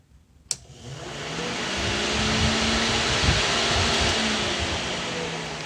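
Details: Newly replaced radiator cooling fan, bench-tested old one failed, switched on after battery reconnected: a click, then the fan spins up into a steady, even whoosh with no rattle or scraping; runs normally.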